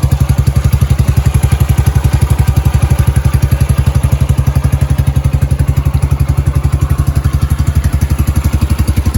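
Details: Yamaha YBR 125 single-cylinder started cold after a replacement secondhand electric-start part was fitted; steady, even thumping of about four per second, no ticking or clatter; healthy idle, running spot on.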